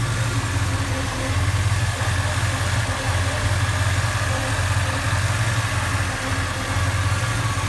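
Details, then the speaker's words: 1989 Chevy Silverado pickup, running in the engine bay: low, even rumble holding steady with no knocks, ticks or whine; normal idle, smooth, quiet and healthy. "all right so let's dive into the engine bay have it running here just to show you how quiet it is"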